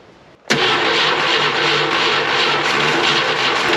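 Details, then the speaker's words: 1972 Ford F-100 240 inline-six, barn-stored since 1995, after Lucas added to cylinders to raise low compression: catches cleanly and settles into steady, smooth, even idle with no misses or knocks; normal idle. "it's going to idle dude that is why of the happiest sound in Old inline SES I've ever heard it is idling so smooth"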